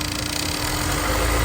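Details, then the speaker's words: Honda NSX warm idle: light fast metallic chatter over engine, timing chain rattling from tensioner despite new OEM tensioner; may go away at higher RPM. "Yeah, timing chain right there. Tensioner's rattling. Nice new OEM tensioner."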